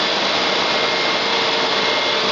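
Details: Electric-converted Nissan Sentra, 120 V battery system: AC compressor starts slowly on a speed control at about 6 V, then runs with a steady high-pitched whir and even airy hiss, no knocks; compressor running normally.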